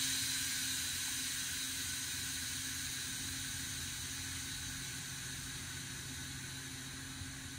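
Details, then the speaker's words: Air Lift Ultimate 5000 rear air bags on a Ram 1500 with Wireless One compressor deflating down to the 5 psi minimum preset: steady high hiss of venting air slowly fading; normal air bag deflation. "so let me take this down to five we'll let it deflate here you can hear it"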